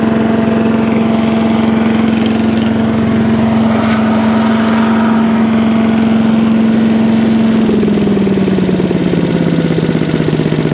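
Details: Allen chipper leaf shredder's small single-cylinder engine, started stone cold on choke after carb cleaned twice: steady hum dropping smoothly to a lower even note as choke comes off; running normally.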